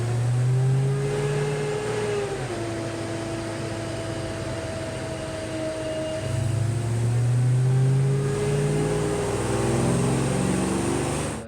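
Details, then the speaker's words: 1993 Ford Mustang Saleen SA10-spec supercharged build, about 200 miles in, heavy-duty fan clutch: loud steady whooshing roar over the engine that swells with revs; the clutch won't break in and stays locked. "i've got about 200 miles on the build at this point and it still sounds like a freightliner on the dyno i'll cue a little video of that right now and show you but the the fan clutch is just roaring"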